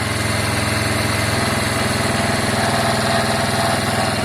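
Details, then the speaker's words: Piaggio Fly 125 scooter after the air-fuel screw was set from 1.5 to 2.5 turns out, choke off: a steady, even putter of about three to four beats a second with no stumbles or surges; it is idling much better. "uh it seems okay now uh it's idling much better"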